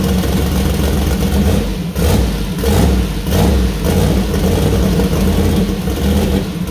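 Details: First start-up of freshly built 2000+hp LS (Dart block, 4in stroke, 4.140 bore, Brodix BR3 heads, .750 solid roller cam): deep lumpy idle rising cleanly on each throttle blip and settling back; healthy, small oil leak at cam-driven fuel pump.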